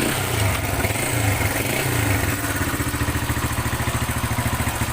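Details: Honda Wing 125 after engine rebuild with timing marks set and conversion to a Wave 100 CDI, first start: single-cylinder fires up and settles into steady even idle beat, no rattles or clatter; healthy.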